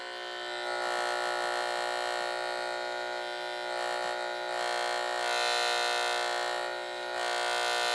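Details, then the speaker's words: LED light heard through an LM386-based antenna hum-finder probe: a harsh, high-pitched electrical buzz with steady fine pulsing and a fixed tone, present only with the light on, traced to the transformer in the light's driver. "And it's only with the light on, so it's coming from the light itself."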